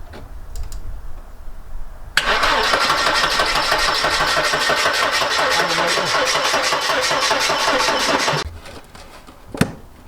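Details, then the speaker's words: Mercedes-Benz 190E garden find, first start attempt: about six seconds of even cranking near four beats a second, no firing; no fuel up top as the fuel pump gets no voltage feed, fuses and relays next. "So a quick recap where we are. We're not getting fuel up top. Yeah, so fuel pump's not kicking in, is it?"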